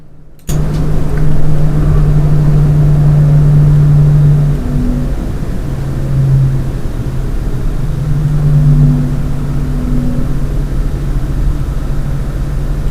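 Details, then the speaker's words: Lian Li 217 Infinity PC case, stock fans stepped down from 40% to 30%: a steady low hum with constant tone holds at reduced speed. Owner says the whine persists even at 10% and no fan setting stops it. "it's happening even on 10% RPM, fan speed. Okay? There is no way you can stop this."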